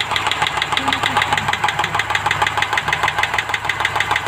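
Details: Rover P5B V8 idling with a sharp, even ticking of about three clicks a second from a noisy hydraulic lifter; the noise changes when pushed down hard.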